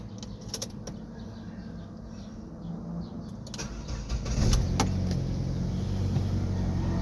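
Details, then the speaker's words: Ford Escape 2.3L with hard starting and stalling, fuel starvation suspected, just after fuel pump replacement: few seconds of quiet cranking, then engine catches cleanly into smooth steady idle; normal start. "Anan umandar na siya natin ulit patayin."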